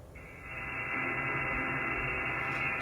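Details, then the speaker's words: HF receiver (Flex 6400 SDR, Wolf River coil antenna) on 14 MHz/20 m picking up a steady raspy buzz over the hiss when the neighbor's 2005 Goodman outdoor AC condenser runs. This is RFI; the owner is unsure whether it comes from the start capacitor or the motor. "you can hear that noise coming off the air conditioning unit but watch when I move and I get into one of the low areas it goes away so this is coming off the air conditioner unit next door"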